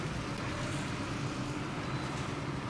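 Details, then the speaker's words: Acura Integra on its first test drive after a head gasket job: a steady, even engine drone under road noise with no stuttering, surging or knocks. Slight white smoke remains, and it still needs a valve adjustment. Running healthy. "sounds healthy as [ __ ] I like it huge relief or what"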